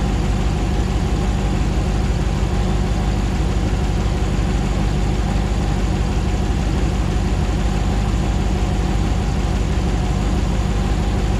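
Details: 2009 Hemi 1500 TRX4 auction truck, first start after months of rebuilding, about 87 psi oil pressure: deep, even V8 burble at steady idle, no stumbles, misses or ticks while warming up, no longer jerking like before; normal idle.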